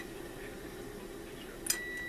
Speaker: To make sure I'm getting good contact from end to end, you can hear the squeal.